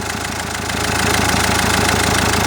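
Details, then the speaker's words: Common-rail diesel at idle, high-pressure fuel line loose in a worn plastic clamp: sharp ticking knock in time with idle mimics injector knock; pressing or lifting the pipe silences it, and it also stops with the injector connector unplugged. "Начинается пульсация. Пальчиком прижимаем. Оп. Тишина. Оп. И вот этот звук реально заздаёт, как будто форсунка стучит."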